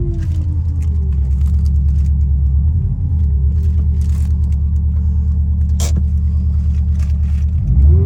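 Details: 2003 Subaru Impreza WRX (GDA), EJ205 engine, 5-speed manual, 148,345 km: heavy, steady low rumble with an uneven beat of roughly three pulses a second. Abnormal engine noise, source unknown; engine to be torn down to check.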